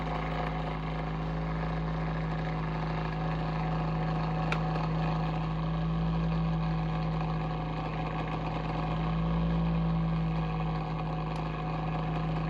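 Constant low droning hum with slow swells in loudness and a faint fluttering beat; the heater fan motor sounds abnormal, cause unclear.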